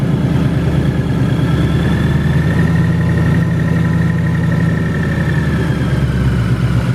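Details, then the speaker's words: Severe piston slap on a 2018 Mustang GT with Whipple supercharger on E85, 5,400 miles: hollow, rapid knocking under the idle rumble, found before dyno tuning; no noises before the build. "my dad called us ahead of time and let us know that the car has a severe piston slap and we went there to check it out to kind of hear what it sounds like"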